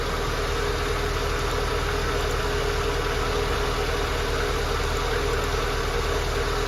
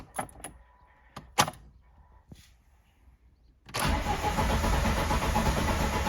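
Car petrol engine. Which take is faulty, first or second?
second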